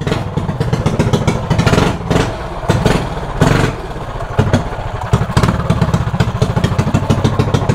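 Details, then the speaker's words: Mini bike with 105 carburetor jet fitted (versus 160 and 180 jets tried): small single thumps and sputters in uneven surges, never holding a steady idle; jetting way off, running lean. "so the jetting is way off"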